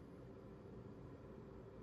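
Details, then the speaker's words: Sony PS2 30000-series console after fitting a 50000-series fan: soft, steady, even whir with no rattle, speeding up slightly as the 7 V kicks in; normal, much quieter fan. "it's now all back together plugged in going to test out the new fan much quieter should kick up a bit now so that's the sound"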